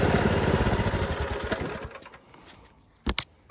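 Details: Predator 212 single-cylinder engine on a Toro 38585 snowblower, test run before removal at middle throttle after starting on one pull. Steady, fast, even putter, then switched off and winds down cleanly; runs fine.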